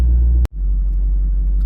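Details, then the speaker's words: V8 with MSD/Holley power harness, just started and warming, charging 13.8–13.9 V; deep, steady low rumble with even beat after a brief dropout. Normal idle. "Right up to 13.8, 13.9. No issues whatsoever. We'll let it idle for a second till it gets warm, and we'll blip on the throttle."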